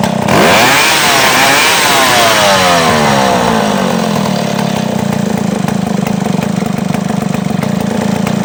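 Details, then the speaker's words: Chainsaw two-stroke whose idle ran high because a small carburetor passage was clogged with dirt: after cleaning it drops from high rev to a steady, lower idle. Still needs adjustment. "So bumaba na siyang menor ngayon. Dati nataas yan ngayon."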